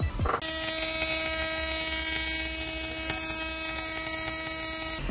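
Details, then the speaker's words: Nissan 370Z with an aftermarket audio electronics kit powered from the car's power source: loud, steady buzzing hum with a high whine over it, coming through the speakers. Horrible electrical noise on the power feed. "as a good example here is an example of our kit installed into a 370z that had a horrible electrical noise coming across its power source"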